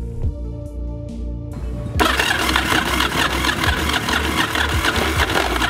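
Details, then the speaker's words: 1982 Yamaha XV920 Virago V-twin, new starter fitted, no fuel line connected, running on starting fluid: starter whirs about two seconds, then fires and keeps running with an even, lumpy beat; healthy start. "I honestly can't believe it, and this thing is rearing to go just off some starter fluid."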